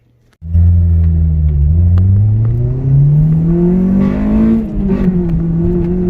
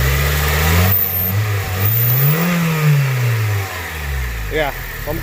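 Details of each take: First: like I said it's running good and everything smooth Second: Engine with ECU issue: revs climb then sag and waver under throttle, nearly dying; suspected too much air entering, idling issue later seemed gone.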